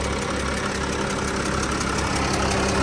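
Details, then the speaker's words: 2013 Porsche Cayenne Diesel 958.1 idling: fast light ticking about three per second over the diesel idle, quickening with revs, audible from outside the car; source not yet pinned down; engine ticking. "ly a pretty cool car if you hear that has all the ticking sound so this is what it's got"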